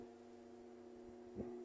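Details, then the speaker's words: Mallory TS40 fan on speed 2: steady low electrical hum with a mid-pitched buzz on top, staying constant; noise occurs only on speed 2, while speed 3 runs strong and quiet; motor winding fault suspected, not confirmed. "no 3 normal função oscilação é um pouco trêmulo né mas tá dando para passar no dois começa o barulho então só faz esse barulho na velocidade dois"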